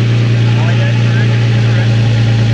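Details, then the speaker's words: Nissan 350z with Tomei titanium exhaust after repair of the broken exhaust, revved: deep steady exhaust drone with no puffing or ticking from leaks, slight sound at the end from back pressure on let-off; exhaust sounds sealed and healthy. "Sounds good. I kind of hear it. Sounds a bit queasy at the end, but that's just the end of the exhaust, yeah."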